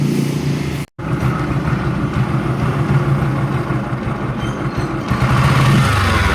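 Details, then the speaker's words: Bajaj CT 100 new model with 125 engine: busy single-cylinder running with a faint steady whirring rub like a bearing or gear scraping; mechanic suspects the clutch side, as seen on the 125. "Yan mga boss, mayroon tayong ginagawang Badja 100 na new model. Meron siyang tunog na parang bearing na parang gear na sumasayad."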